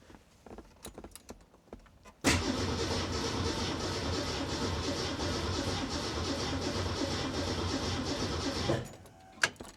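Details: 1967 Mustang with stock cam, Hyper Spark distributor and Holley Sniper 1100 EFI after reconfiguring setup: about six seconds of steady starter churning with an uneven beat, engine never catches; crank-no-start.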